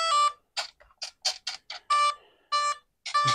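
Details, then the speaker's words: E-Flite Turbo Timber EVO RC airplane: battery hooked up, speed controller gives short bursts of clean mid-pitched beeps; normal power-up beeps. "we're going to hook up a battery it's going to beep"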